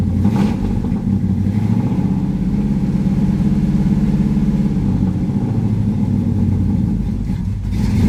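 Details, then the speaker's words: Pontiac Firebird V8 just started cold, uneven loping burble at fast idle with some spitting before smoothing slightly; rough cold running, apparently no choke. "no choke apparently yeah she got a little mess"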